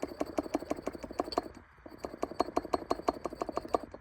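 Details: 2008 Jaguar XKR 4.2 AJ34S, Eaton M112 supercharger opened, rotors rocked by hand: bursts of light metallic clicks, about three a second, showing excessive rotor play; owner first blamed the coupler, but a failed needle bearing caused the clattering marbles rattle.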